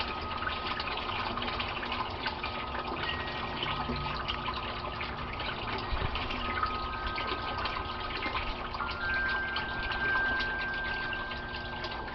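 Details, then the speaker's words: Aquaponics grow bed (about 25 gallons with gravel) near end of drain cycle: steady splashing flow from pipe, no gurgle or air gulping yet; siphon draining normally before the gurgle stops it. "And there's the gurgle, and one more, and that stops the siphon, and the water stops."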